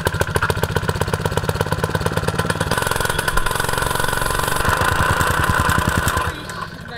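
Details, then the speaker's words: Jumping jack tamper single-cylinder engine, bought broken, carburetor suspected of stuck float valve leaking fuel into oil: fast, choppy thumping that wavers and stumbles before trailing off; still running rough. "is that what it does yeah show it again it's not running quite right yet"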